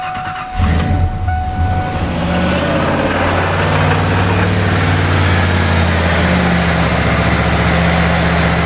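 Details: 1997 Ford F-250 with a new throttle position sensor plugged in for testing: engine catches after a brief whir, then settles to a steady, even idle with no hunting; the idle air control closes, confirming a bad original TPS.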